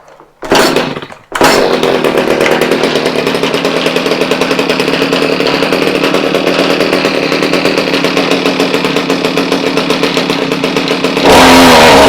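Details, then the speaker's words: Stihl HS45 hedge trimmer that wouldn't start, choke on: a pull, brief catch, then loud high buzzy two-stroke drone at steady speed; starts and runs evenly, better than before, though another problem remains. "Oh, so far, that sounds better than we were having before."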